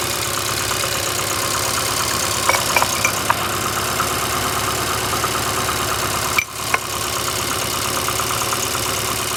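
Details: VAZ 2115 8-valve after cylinder 1 head gasket failure a week ago (coolant and 5W-40 Lukoil changed, valves adjusted 3 months ago): idle with faint rhythmic knock and sharp ticks, misfires cold, sounds like rubbing when warm; check light on, cause unknown.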